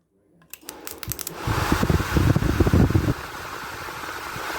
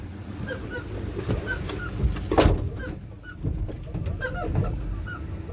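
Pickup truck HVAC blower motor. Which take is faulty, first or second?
second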